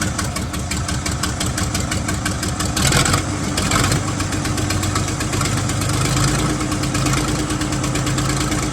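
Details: 1975 White 2-150 tractor, diesel, first run after about 19 years dormant, unmuffled: loud, rapid, even clatter with sharp exhaust barks at a steady speed; firing and running cleanly.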